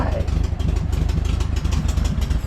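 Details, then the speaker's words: 1968 VW Bay Window bus, refreshed air-cooled flat-four just reinstalled, idling: steady, even low chuffing with no stumbles or knocks; normal, smooth idle. "sounds like an old air-cooled Volkswagen in there"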